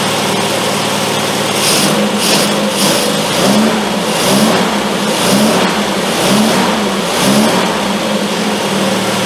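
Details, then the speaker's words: Triumph Spitfire with HS2 carbs after carb adjustment, started with starter fluid on a hot day: a fast idle rising and falling about once a second with occasional uneven beats. It is still idling high with a slight miss, though improved. "That's better. Still a little miss in there and stuff, but I think that's better."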